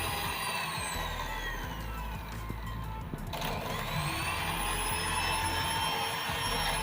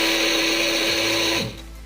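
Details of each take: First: Hand cake mixer after repair of rough/groaning noise: smooth even whine and steady hum, no rough grinding; back to normal. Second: Old Philips hand mixer running very slowly with a harsh raspy hiss over a low hum; dry, very dirty bushing suspected.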